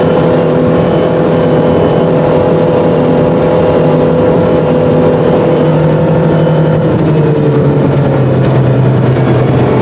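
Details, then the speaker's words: 2018 Chaparral boat, MerCruiser 4.5L 250hp V6, after replacing a bad ignition coil (Vesselview code, power loss at speed): a smooth high-rev drone above 4,000 rpm that holds steady, then eases down, with no stumbles or popping. "Well, I think that's a fix. That's about 5 miles of I didn't run them all at 50 mph wide open, but I did run um about four or five miles above 4,000 RPM and some of it at max, which a little while ago."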